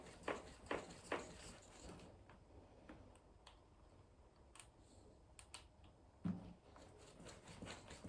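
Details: Canyon Lux mountain bike with RockShox Deluxe Ultimate rear shock, in a quiet room: three sharp hollow knocks in about a second, then one more later; rear shock knocking, cause unknown.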